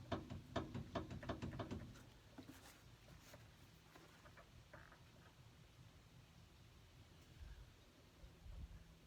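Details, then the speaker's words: 2011 Ford Ranger with wandering steering: dull knocks about twice a second as the wheel is twisted by hand; upper A-arm visibly moves, worn upper ball joint, lower ball joint possibly starting to wear. "There's a chance that the lower ball joint is starting to wear out, but there definitely is something going on with the upper ball joint."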